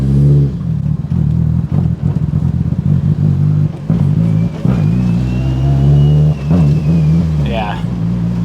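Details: Evo 8 engine pulls hard under throttle but the note stumbles and drops out in short bursts, an uneven surge; owner suspects the cam sensor, then possibly the crank sensor, cause still unknown.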